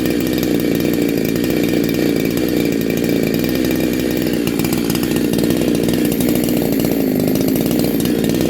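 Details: Neo-tec NH872 chainsaw (372XP clone) with a big bore kit and stock gasket, on a cold start during its second heat cycle. It holds a strong, clean, even high-rev buzz with no misfire or bogging, sounding awesome and healthy.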